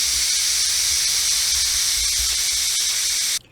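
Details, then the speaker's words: Presto electric pressure canner after a 90-minute ground beef processing and cool-down countdown: strong steady steam hiss for a few seconds then a sharp cutoff, a normal pressure release before the silver peg drops. "so then what we're waiting for is that little silver Peg on the right to drop down once that is dropped down it means that um enough steam has come out and the pressure has released"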